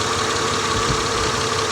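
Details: 2000 Honda Accord V6 with flashing check engine light; new spark plugs did not fix it, and a coil swap test points to cylinder three. Rough, uneven idle with an irregular stumble; failed ignition coil misfire, needs a new coil.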